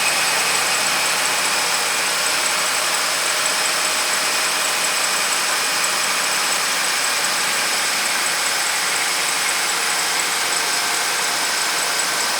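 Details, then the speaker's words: 2008 Dodge Ram 2500, 5.7 V8, two-wheel drive, after starter replacement (previously slow cranking); engine starts and settles into steady even idle with no misses or knocks; slight pulley squeak noted since earlier. "Engine sound pretty good."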